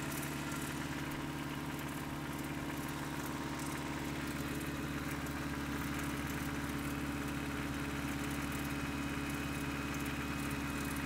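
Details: Toyota 4Runner 22RE just bought and filled with 5W-30, cold start and rev: steady tapping at about three or four beats a second at idle. Owner suspects a timing chain and/or rod knock, not confirmed.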